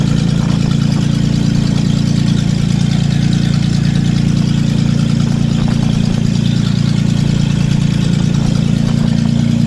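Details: Datsun 280Z on its first start in years, idling with a loud, deep, raw bark of about three and a half pulses a second; no exhaust fitted, running straight off the open manifold.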